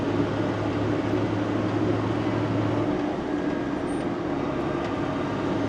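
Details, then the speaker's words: JCB Fastrac 3170 with Cummins 6BT diesel, under way after a suspected squeak source was secured: steady drone under road and cab noise with no on-off belt-like squeal, so the fix seems to have cured it. "no I can't hear it that's good it it's almost sounded like a belt just squealing on and off if you know what I mean but um that's good it's good it seems to have cured it"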